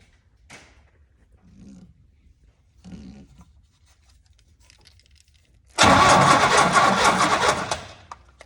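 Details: 1971–72 Chevrolet 350 V8 in a split-window Corvette, not run in about 25 years, after fitting a new coil and condenser: brief fast, rough starter cranking with the engine catching; spark tester now shows spark, ignition firing.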